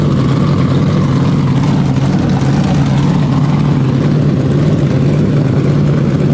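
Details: 427ci Dart LS Next 2 race engine on methanol (Dart LS3 heads, solid roller cam, billet crank and rods, twin 82/84 turbos) at first fire-up in the dyno cell: deep, steady, even big-cam idle with no knocks; slightly rich, throttle blade adjusted, 70 psi base fuel pressure.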